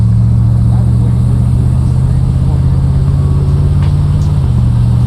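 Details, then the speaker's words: 1974 Corvette Stingray, 350 V8, 80k original miles, automatic, in regular drive shifting through all gears into overdrive: steady low drone with smooth pitch drop near 4.5 seconds, no flare or clunk; normal smooth upshifts. "So we'll just do regular drive, and I want it to shift through all the gears so you can see how smooth it is."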